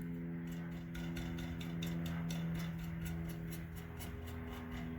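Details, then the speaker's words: 2012 Chevrolet Cruze exhaust, engine idling, tapping on the catalytic converter: crisp even taps with no loose inner rattle; the cat is solid, though the muffler has a broken-loose baffle. "we're only hearing the noise from up front that's a solid cat"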